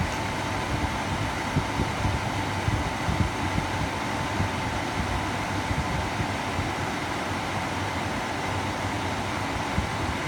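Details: Atwood 8525 RV furnace, igniter being adjusted after clunk-but-no-ignition retries: steady fan rush with a faint constant tone and no distinct igniter clicks; blower runs but ignition unconfirmed.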